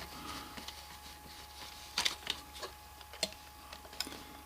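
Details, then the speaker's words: Hi-fi CD player: soft, sparse clicks and a faint whirr as the tray draws in and clamps, then the switch stops the motor cleanly; loading cycle working normally. "This arm here lifts the deck up, the tray, as well as the cam lifting that up and releasing the disc. And then as it keeps coming, yeah, and the other one turns it off."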